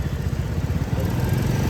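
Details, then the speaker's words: Royal Enfield idling: a steady thumping single-cylinder beat with a light, regular tick on top. The tick persists despite a new tappet and half-engine work at service; the cause is not pinned down. "ये यह जो आवाज आ रही है ना ये चुभती है बड़ी गंदी"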